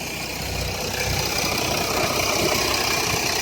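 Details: 2007 Jeep Grand Cherokee 3.0 CRD diesel at idle: dry fast rattle over a hissy tinny note; oil pressure light on at idle, off when revved, oil level correct; owner suspects timing chain rattle, not localised at front.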